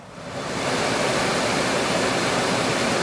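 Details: Old Chrysler van HVAC blower, original motor refitted with new OEM Mopar resistor module, lowest setting drawing about 5 amps (20 amps on full). Soft even rush of air rising quickly to a constant level, no rattle, squeal or wobble; final fix, blower normal.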